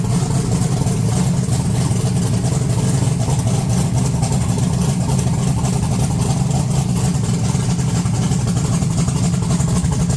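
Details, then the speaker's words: 1982 Chevy S10 V8 after sitting, fresh transmission fluid and water, 60 psi oil pressure, low vacuum, no high idle: revving runs rough and ragged, stumbling breakup right off throttle; bad misfire, owner suspects bad plug wire or vacuum leak. "I don't know if you could hear that breakup but right off thr right off throttle it it goes like it's misfiring really bad whenever you rev It Up"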